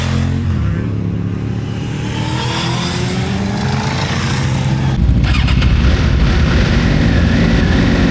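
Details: Suzuki GSXR600 SRAD track bike after stalling and hard restart: ragged, stumbling revving as it briefly runs on three cylinders; misfire probably from a loose spark plug.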